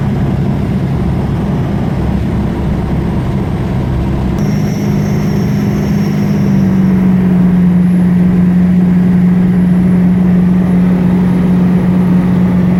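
Rumbling vehicle noise, then a steady low whine at constant pitch comes in and holds; a whine from an unknown source.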